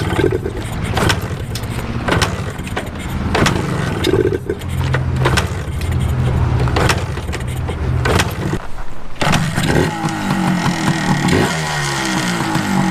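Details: 1980/1981 Suzuki TS 250 two-stroke, first start after years of sitting: rattly handling noise, then the engine catches and runs with a buzzing note that rises when revved.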